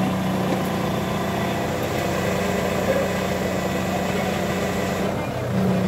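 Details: Ford Mondeo engine idling with a failing power steering pump: a steady low whine rides over the idle at an even pitch throughout.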